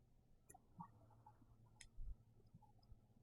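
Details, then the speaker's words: 1961 Rambler frame swap with a new fuel-injection fuel system, electric pump on final testing: faint, steady low hum with light ticks, pushing fuel and returning it to the tank; no leaks seen at the tank or engine. "Oh, we're definitely pushing fuel now. Yeah, I can hear it returning back to the tank."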